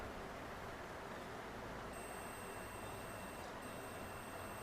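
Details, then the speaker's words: HF Deluxe BS6 motorcycle with a self-start fault: multimeter on continuity, one probe on the clutch switch's second wire and one on body ground; steady high beep when the clutch switch is pressed, so the switch grounds correctly and works. "जैसे clutch switch दबा रहे हैं। इसमें beep की आवाज आ रही है। यानी क्लच स्विच दबाने पर इस वायर में बॉडी अर्थ आएगा।"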